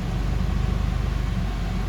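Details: Honda Civic with swapped F23A four-cylinder, after cold start and warm-up: even low rumble with steady, regular pulses and no misses or knocks, a normal smooth idle.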